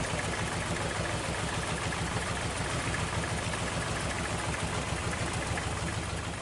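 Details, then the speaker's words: Toyota Corolla DX at idle, still limping and shaking after a new distributor cap failed to fix it: lumpy, uneven idle stumbling about three times a second. "Ternyata setelah mangkuk delco diganti, suara mesin masih pincang dan bergetar, sehingga bukan mangkuk delco penyebabnya."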